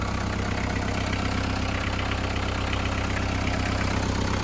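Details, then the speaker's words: VW Caddy pickup diesel, running on a very low battery; steady even idle clatter about 160 beats a minute, no misses or odd knocks. Normal idle, engine seems good. "The seals are good, outer and inner. And the engine seems good."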